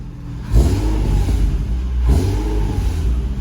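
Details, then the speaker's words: Nissan 350Z just after installing a new Z1 Y-pipe: deep, loud, raspy exhaust with two quick revs and a ragged edge; it leaks from the back side of the Y-pipe, probably not tightened enough. "i'm sorry to tell you guys but we failed it's pretty bad this thing's literally open white pipe now we didn't tighten it"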